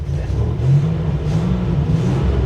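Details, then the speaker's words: 1987 Buick Grand National with a new mass airflow sensor and MAF translator, battery just disconnected and reset: uneven, lumpy rumble that surges and sags. Runs very rough; idle air control valve suspected to be far off. "it's running horribly, guys. There's no way. This is not going to be good."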